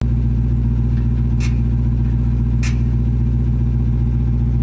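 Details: Dodge Demon 170 idling: a steady deep idle with a faint uneven pulse of about 220 a minute and two sharp ticks. This is a persistent ticking; a second engineer found the entire exhaust system needs replacing.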